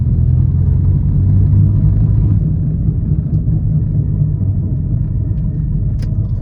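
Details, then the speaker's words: Vauxhall Corsa C 1.2 petrol driving: heavy low rumble and grinding drone drowning out the exhaust, from a badly worn, damaged front wheel hub bearing. "Oh, good. Whatever that is, that is not how you want a car to sound."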